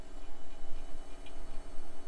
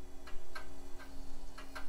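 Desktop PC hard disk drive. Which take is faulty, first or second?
second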